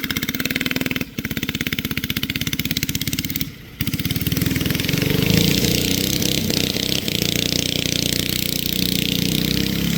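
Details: Barn-find race go-kart with an original flathead Briggs & Stratton that once ran alcohol, now on E85 after sitting 30+ years; the single pops unevenly, cuts out twice, then stumbles as revs rise and bogs. Carburetor issues suspected.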